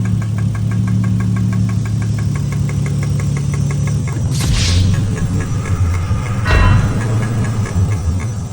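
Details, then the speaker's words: Toyota Chaser JZX100: steady rapid knock over low idle rumble, suspected rod knock, not confirmed; later cylinder 3 spark plug shot out after valve covers were removed. "Sounds like rod knock, and today I'm gonna see what's wrong."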